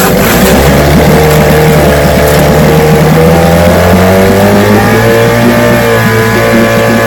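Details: Vintage outboard two-stroke (restored, then repaired) started Wednesday morning with fuel on, full throttle and no prime, firing on the fifth pull: steady, clean drone climbing smoothly with revs, no stumbling or misses; it ran five minutes, showing adequate compression.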